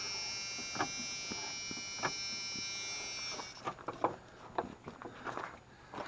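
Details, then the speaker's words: 1994 Dodge Dakota wiper motor switched on: a steady high electric buzz for about three seconds, then it stops among clicks, with only one linkage bar moving. Wiper linkage detached at the post joining the wiper links. "I'll bet you if I go turn them on only one of those linkage bars is gonna move and there's that annoying buzz turn it on"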